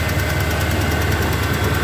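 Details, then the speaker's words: Warm 1978 Chevy C10 Cheyenne V8 at idle, new 400 Edelbrock carburetor: light, quick, even tick following engine speed, said not to be an exhaust leak; cause unknown, persists after valves/lifters/rockers adjusted. "i don't know if you can hear that it is not an exhaust leak if there's something going on in motor like you know a little tick"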